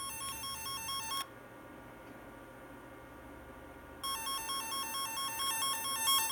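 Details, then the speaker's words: F set twisted-pair tone tracer: warbling two-pitch tone cuts out for about three seconds then returns, caused by a poor connection, temporarily fixed by wrapping the wire. "it's still not right this connection is it again we'll just wrap it around there for a sec"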